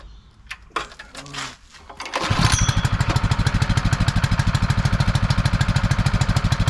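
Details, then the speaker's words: Honda firefighting pump, sat unused over 2 years, primed with valves shut: small engine pulses fast and steady with uneven pumping roughness as the pump loses prime, cavitating from an air leak at the suction draw. "Losing its prime, but look what I just noticed. When it does that, watch this, and we'll start losing prime now. There's a leak, it's cavitating, it's sucking air through the draw."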